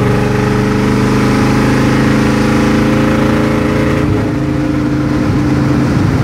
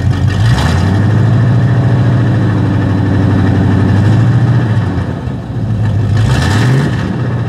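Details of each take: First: Chevy C30 V8 with mufflers cut off, hard acceleration: loud open-exhaust pull that falters and breaks up around four seconds instead of climbing; a bog, worse the warmer the engine gets, cause undetermined. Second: Chevy C30 carbureted V8 with mufflers cut off, parked at high idle: loud open-exhaust rumble with repeated clean blips returning to steady idle; runs normally at rest.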